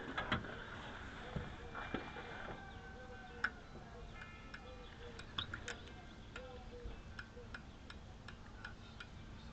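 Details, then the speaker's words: 1959 Ford Thunderbird flasher relay bench-tested with ground on X and power on L: sharp, light clicks at a steady one or two per second in a quiet room; the relay is cycling normally. "It's working. Clicky, clicky. That's cool. So that works."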